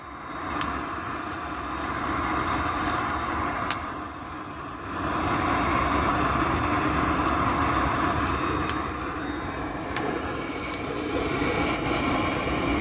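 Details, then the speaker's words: Woodgas-converted Chevrolet Cavalier gasifier, leaks in the PVC piping from the filter now fixed. Vacuum is pulled on the system and the fire is torch-lit. A steady hollow roar with an even draw and no pops or surging means a normal, hot gasifier burn. "okay you can hear that's roaring pretty good down in there let's see stick it down in here yeah getting good and hot now"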